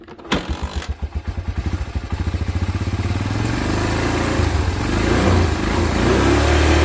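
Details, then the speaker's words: 1987 Honda TRX250 Fourtrax that sat about 10 years, after carburetor cleaning and with a temporary gas tank: single cylinder catches after a couple of tries, settles into a quick even beat and revs smoothly, running like a kitten. "so that seems to fix the problem turn like a kitten now"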